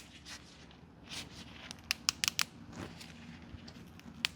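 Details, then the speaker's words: 79-year-old airplane's rubber fuel line from the carburetor, removed and bent by hand; dry, sharp crackles in short bursts as the extremely hardened rubber breaks up inside, line needs replacement. "God. I've never had a fuel line that hard."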